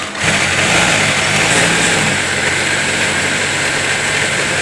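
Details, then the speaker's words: Sewing machine test-run while winding bobbin thread, presser foot raised: quick spin-up to smooth, steady high-pitched motor hum with fast even clatter, no rubbing or grinding; runs quietly and healthy. "Sudah terdengar suaranya mendengung naik si dinamonya, dan kita akan tes mesinnya ini bising apa enggak ya."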